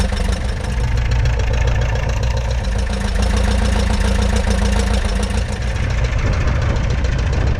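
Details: 1941 Piper J5 with a Continental C85 engine, started on day two after about 30 years dormant (last ran 1995): loud, steady low rumble at idle, firing evenly with no misses or rattles. A healthy idle.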